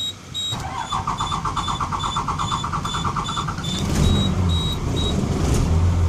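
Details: Engine cranked about 45 minutes after the mechanic's fix for a fuel-system air leak, thought to be at the rear, not the engine; starter churns about three seconds before reluctantly catching; hard start from fuel system air leak.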